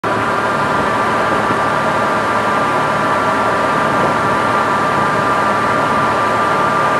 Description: When i hit the gas i get this whining noise. when i'm driving it's louder than my exhaust.